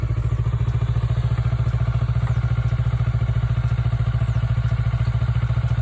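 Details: Kawasaki Ninja 400R 400cc (registered 2013, 7 years old), started after about 3 months unused despite feared flat battery; even, steady idle thump around 3.5 pulses a second, no misfire or clatter: normal healthy twin idle.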